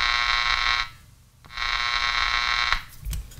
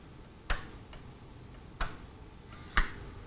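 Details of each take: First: Panasonic Radar Matic wind-up auto-tuning radio receiver, probe bridging the power switch contacts: a loud buzzy tone from the speaker cuts in and out as the radio comes alive, showing the power switch is bad. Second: Panasonic Radar Matic automatic-tuning receiver under test near 282 microvolts signal: three sharp, dry clicks about a second apart over a quiet hum as the tuning stop relay releases, showing the relay works normally.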